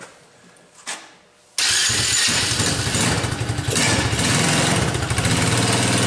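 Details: Tao Motors mini quad started on jump pack with choke after dead battery, cold winter evening; quiet clicks, then engine catches and settles into brisk steady buzz; starts and runs fine.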